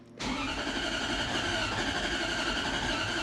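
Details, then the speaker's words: Toyota Prado with an M90-supercharged 1UZ V8, first start after fitting a new wiring loom: the engine catches and settles into a thin, uneven, buzzy idle with a slight high whistle. The owner suspects it needs more fuel and that adjustments are due. "il est vivant nous l'avons en marche mais nous pouvons l'entendre quelques problèmes faire quelques ajustements"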